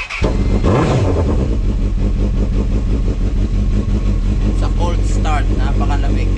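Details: Honda CB1000R: starter churns briefly, then engine catches and settles into a steady, lumpy idle with throttle blips; hard starting, cause unknown.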